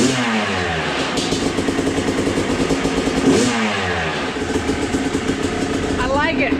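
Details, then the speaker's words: Freshly total-rebuilt Yamaha YZ250 two-stroke with a new air filter, run through heat cycles before customer pickup. Crisp crackle rising and falling cleanly with throttle blips, steady in between, no knocks or rattles. Normal two-stroke running. "Build the motor, I like to at least get 1, if not 2 heat cycles on it before the customer picks it up. Mike's actually coming down today, so I'm gonna get this thing nice and hot, make sure it's all good before I call him"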